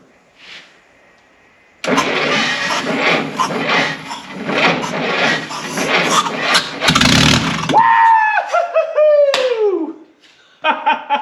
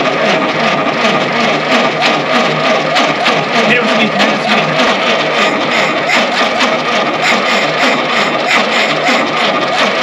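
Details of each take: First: 1952 Willys pickup engine off the road since 1991, with sticky rings and oil added to the cylinders: it cranks, catches and runs on its own for several seconds with a steady busy note before dropping away. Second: 1952 Willys pickup, off the road since 1991: starter turns the engine at a steady chug about three times a second but it never catches; cam timing found a tooth out, possibly a jumped gear.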